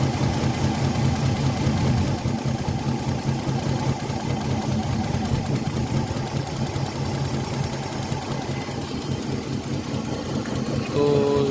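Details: Older Nissan Maxima idling: rough, lumpy, uneven beat as two ignition coils get no firing signal from the ignition driver chip/IC.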